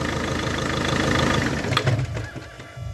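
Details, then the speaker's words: Volvo V50 MK1 1.6L D4164T 80kW diesel: rough idle stumbles and dies within seconds when the crankshaft position sensor connector is pressed; CKP sensor already replaced elsewhere, fault in the connector pins or wiring causes intermittent stalling. "here we have a connector to Grand Chef sensor and all I have to do is just put a little pressure to connector and it will stall"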